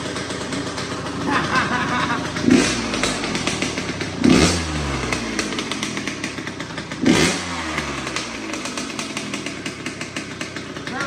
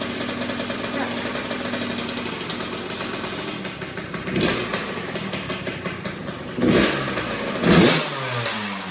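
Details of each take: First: 2004 Kawasaki KX85 two-stroke after a top end rebuild; sharp revs with a harsh raspy edge, each blip hanging slightly before dropping to a crackly idle. Owner suspects the shorty pipe and needed muffler packing, not confirmed. Raspy exhaust note. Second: 2004 Kawasaki KX85 two-stroke, stock bore, just after a top end rebuild, started on the second kick and smoking; idles with a light ringing note and takes sharp throttle blips cleanly. Sounds far better than before. Normal running.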